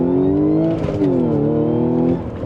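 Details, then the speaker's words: 2016 Audi S5 B8.5, supercharged, 6-speed manual, on its old stage 1 clutch at about 98,000 miles before the JHM stage 3 install: a hard pull in first, then on the 1–2 shift the engine note hangs and sags. The worn clutch slips grabbing second. "I don't know if you guys could hear, but it like hesitates a little bit. It doesn't grab right when I shift in a second, even though the clutch is all the way out."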